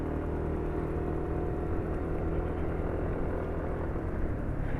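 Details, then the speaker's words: Automatic scooter at idle after the engine mounting was modified by blocking one hinge of the engine hanger with tyre rubber; oil still fit after 450 (distance, unit not stated) with 10W40 grade referenced; quiet, even idle, smooth, no rattle or vibration buzz; normal. "Nah, sini nih coba dengerin ya suara mesinnya. Nah, itu menurut penulis halus ya."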